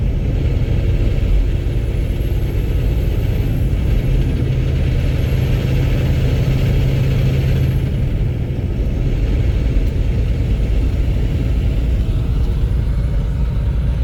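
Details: Cummins X15 diesel at idle: heavy steady clatter with a harsh even knock riding over it; owner suspects low oil or rod knock, unconfirmed.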